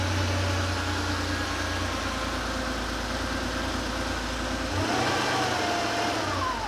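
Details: Porsche 911 Carrera 3.2L on an engine test stand after sitting, freshly started and warming (oil about 120°F, thermostat likely not yet open): even idle that climbs cleanly when blipped and settles back; normal revving.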